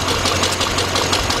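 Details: 2006 GMC Envoy XL Denali, 5.3 V8, after new torque converter bolts with threadlock were fitted: the knocking is gone, but the idle stumbles with an irregular chuff from a misfire. Coils or wires are suspected.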